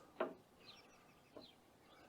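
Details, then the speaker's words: Woodland Mills HM130 Max portable sawmill after hitting a nail in oak: two dull clunks per wheel rotation turned slowly by hand, mic held close; owner suspects a failing tensioner idler bearing, which was then replaced. "every rotation of this where it goes clunk, clunk."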